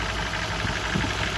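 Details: 1994 BMW E34, M50B20 with VANOS, automatic, at idle: light irregular knock over the drone. Owner says it is not the hydraulic lifters; chains and tensioner guides are new, no oil use; unchanged for several years. Engine knock.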